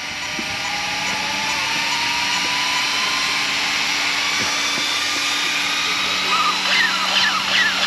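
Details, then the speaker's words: Arrma Outcast 8S RC car with Castle ESC, first run after a rebuild: steady high-pitched fan whir with a slowly rising tone, no rattle; all cooling fans working, none broken, no thermal cutoff. "All the fans are still working, no broken fans, no temp cut."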